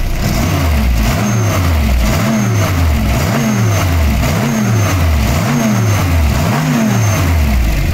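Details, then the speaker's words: VW G60 with K-Jetronic, blipped about once a second after retarding ignition timing a few degrees at the distributor to cure crackling under hard low-rpm throttle: revs rise and fall cleanly, no crackle or pinging; normal revving, timing now right. "Et voilà, là ça croustille plus, il n'y a plus de comment on appelle ça, de kiki. Donc là apparemment c'est bon."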